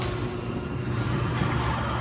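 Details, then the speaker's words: Neighbor's garage door opener running normally: a steady, low, even hum, quiet with no vibration, a good install, unlike the buzzing, vibrating LiftMaster. "we either squeaking but the motor is working perfect it's a good install"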